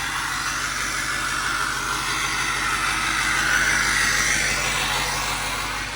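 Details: Overkill XJ off-road rig after fixes and a dead-battery start: even low pulsing steady idle about two hundred beats a minute under some hiss; engine settled and healthy.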